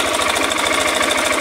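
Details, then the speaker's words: Motorcycle 660 engine at steady idle with a rapid, regular dry rattle like a rattlesnake: early-stage piston slap (worn skirt slapping in the bore); the top cover was opened and the cam chain checked OK; the noise will grow louder. "É, e essa moto, rapaziada, o defeito dela, esse barulho dela é é o pistão canecando. Beleza? Ela tá canecando o pistão, tá com começo, né?"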